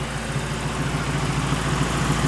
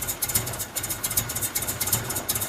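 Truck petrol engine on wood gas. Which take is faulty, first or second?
second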